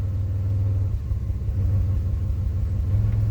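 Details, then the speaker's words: 2005 Pontiac Grand Prix at idle: deep rumble with an uneven lope and recurring stumble, bucking and shaking in park and in gear; misfire counters show a single-cylinder misfire on cylinder 1, traced to a failed ignition coil. "So, it is just one cylinder. This thing feels pretty bad on a single misfire. That's crazy."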